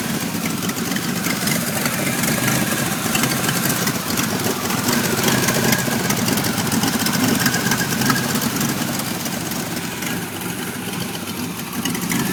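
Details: Uneven, lumpy, stumbling idle on a 1991 Pontiac Firebird V6 that now starts but idles very rough, still with trouble codes 33 and 43; cause not clear.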